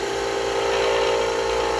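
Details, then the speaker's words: Spindle blank being smoothed with a skew chisel on a lathe: a steady mid-pitched squeal over the cutting hiss signals workpiece vibration, which probably calls for tightening up slightly. "you hear that? That means you're getting vibration. Okay, so it probably means I need to go ahead and tighten this up just a hair."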